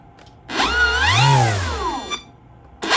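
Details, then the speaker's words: Tower Hobbies ASW 28 powered sailplane, replacement 45 amp Smart ESC with motor brake programmed: clean motor whine climbs and falls smoothly, then stops at once instead of coasting; brake works, sounds slightly different from other ESCs. "so that's what it looks like with the back motor off, with the engine brake energized. It's a little different from what I've seen on other ESCs from Spectrum. Sounds a little different, but otherwise it works fine."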